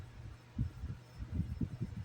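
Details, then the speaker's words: Ceiling fan newly making a low steady electrical buzz with irregular thumps, quiet when the shade is touched, possibly buzzing with light off; ceiling fan buzzing, cause unconfirmed. "it's making a buzzing it's making a buzzing noise now I never hear I never heard a buzzing noise on that fan"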